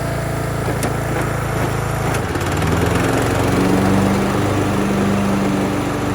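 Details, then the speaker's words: Craftsman LT1000 yard tractor, long-sitting, first drive attempt: engine steady then pitch drops and wavers labouring against a drive that won't turn freely; burnt clutch smell, front belt smoking, rear gears suspected; cause unconfirmed. "Smells like burnt clutch. Smoking a little bit from the belt in the front. I think it's the gears in the back."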